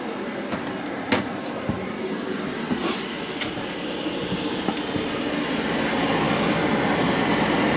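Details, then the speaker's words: JP Heaters 2kW diesel air heater in a bus, thermostat set to 21 degrees, warming up: soft steady blower whoosh slowly building with a few faint clicks, air still only warm; normal operation. "itself is blowing out well it's only warm there at the moment but it's still heating up pretty straightforward really very very easy to use"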